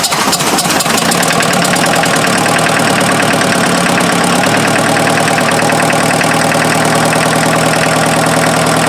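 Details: First start of a freshened-up diesel in an offroad Mazda truck after an odd backfiring sound (owner suspects the timing belt is one tooth off): it catches and quickly settles into a steady, even idle with no misses or knocks. No coolant smoke; normal idle.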